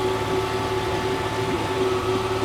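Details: Honda 30 outboard running without its lower unit, carburetors untuned, revs high from low fuel and lean mixture: fast, steady even hum, the earlier knock gone, so the knock was traced to the lower unit.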